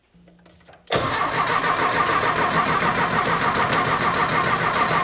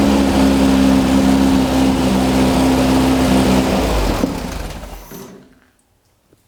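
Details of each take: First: Rebuilt 1600cc dual-port VW engine in a dune buggy, first start; short crank catches and settles into a steady, busy run but won't hold idle on its own; owner suspects carburetor or fittings need work; poor idle. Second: VW dune buggy with rebuilt 1600cc dual port air-cooled flat-four, first start after flooding, low idle: fires up and runs with a steady even beat, then shuts down; sounds healthy.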